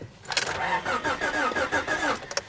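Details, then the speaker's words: 1985 Honda Prelude at salvage auction, battery terminals cut: about two seconds of rhythmic starter churning that never catches; cranks but no start, owner suspects no fuel/fuel pump. "nah I knew she wasn't going to start guys I just needed to hear it crank over"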